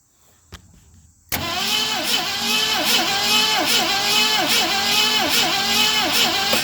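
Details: 1970 Mustang Mach 1 will-it-run attempt: steady rhythmic cranking at about two and a half turns per second, but the engine never catches; spark weak and intermittent, battery possibly low, cause not confirmed.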